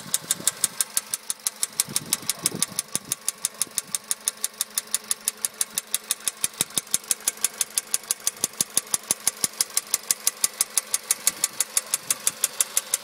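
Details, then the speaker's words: 2013 VW Polo sedan, 1.6 CFNA, warm idle: a sharp even tick about twice a second. The knock appeared about 75 km after a warranty engine repair at 27,500 km and persists after roughly 800 km; cause unknown. "сейчас я запущу двигатель двигатель меня уже прогретый и уже сейчас слышен этот стук вот такого плана"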